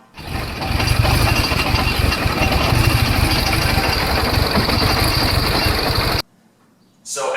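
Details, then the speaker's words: Mini daily driver engine that suddenly failed, catching and running lumpy and uneven for six seconds with a ragged, stumbling misfire-type beat before cutting out; not drivable, cause unknown, and swapping spark plugs and coil packs did not settle it. "as you can see it's clearly not drivable I have no idea what the the hell's going on"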